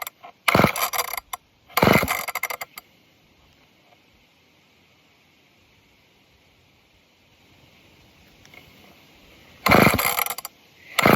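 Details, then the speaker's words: Off-brand old Canadian junkyard chainsaw, air filter blown clean and a little fuel poured in: four short bursts of pull-cord cranking; engine spins and rattles, almost fires, but won't start. "Come on. It almost sounds like it wants to."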